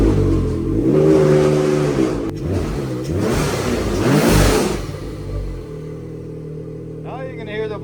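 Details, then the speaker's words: 2022 Ski-Doo Renegade Adrenaline 900 Turbo R snowmobile in the garage after installing RPM silicone charge tubes, intake and 25mm BOV port: revs rise and fall, then a quick whoosh on throttle release as the blow-off valve vents normally. "can hear the blow-off valve when you let off and put the brakes on."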